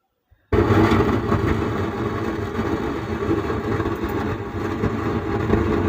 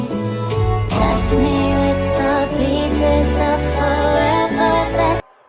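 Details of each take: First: Sound Standard CA20 amplifier, opened on bench, signal LED lit: with volume at zero the speaker still gives a steady rough flapping buzz right after power-on, unchanged by volume; output stage fault, faulty output IC suspected. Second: Sound Standard CA20 amplifier after repair, replaced faulty LM IC on rear panel board that caused a flapping noise: song plays loud and full, clear vocals, steady bass, no crackle, hum or distortion; healthy output.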